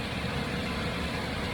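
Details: Black Jeep with a warranty replacement engine, freshly installed, hot idle at 45–50 psi oil pressure: smooth, even idle with a steady low rumble and no ticking or knocking; an earlier lifter tick went away, no smoke, engine healthy.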